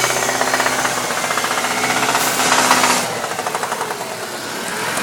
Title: 98 Dodge Neon engine knock